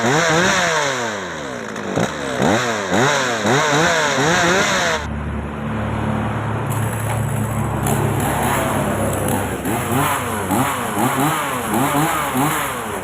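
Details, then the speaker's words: Old Japanese Maruyama chainsaw, previously hard starting, stumbling and dying when revved hot, after replacing carburetor pump diaphragm and gasket set; repeated clean rev sweeps without stumbling, then steady idle; runs healthily. "ลองสตาร์ทลองเร่งดูนะครับว่าติดขัดตรงไหนหรือเปล่ามีสะดุดอะไรยังไงหรือเปล่านะครับเดี๋ยวให้ฟังเสียงดูครับอ่า"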